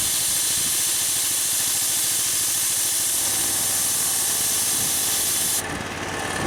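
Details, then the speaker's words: Harbor Freight V-twin compressor, new pump, tank at about 120-125 PSI: loud steady hiss of the unloader venting over a low idling engine, then cutting off sharply; normal unloading at cut-out. "so that like hissing sound that you hear is the unloader it's venting out all the air it's not filling up the tank"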